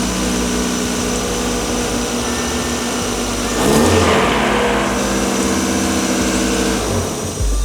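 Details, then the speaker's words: Roughly 30-year-old Mazda Miata engine after rebuild, run briefly with the timing cover off after a new timing component kit was fitted; steady four-cylinder idle with a brief rev, earlier timing-end noise gone. Normal idle after repair. "and that is a win good job Steve I got to hand it to you mister that was a great call that noise is gone"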